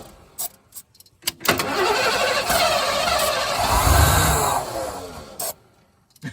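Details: 1990 Ford F150 351, first start attempt in years: starter spins engine at a steady four-odd beats a second for about four seconds, never fires. Crank no start.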